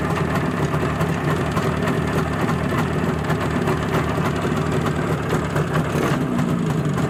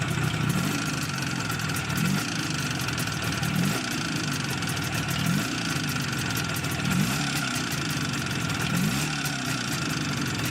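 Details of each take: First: Izh Jupiter-5 two-stroke with balanced crankshaft, heard now after earlier metallic ringing blamed on piston geometry; steady, even idle with smooth low burble and no ringing or knocking; normal idle. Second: Izh Jupiter 5 two-stroke twin, balanced engine, first test start after rebuild: steady idle with a light metallic ring over the exhaust beat; factory pistons measured with taper beyond service limit and standing proud of the liners, causing piston ringing.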